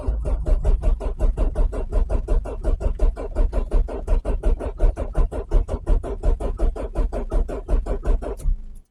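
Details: Renault Clio 1.8 16v Mk1, on a cheap new battery, first attempt: steady rhythmic cranking for nearly nine seconds that never catches, then stops; engine cranks but won't start.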